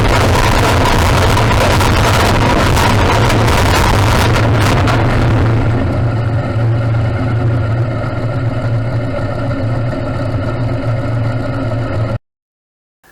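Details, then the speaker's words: Modified pulling tractor with a reground camshaft, big injectors and a new injection system: a heavy roar that sags a few seconds into the pull. Off the clutch without full throttle, RPM dropped and boost didn't build, so the engine bogged and made no power. "When I went off the clutch the ... ... RPM dropped, the boost pressure didn't come up properly ... ... and it didn't make any power, of course."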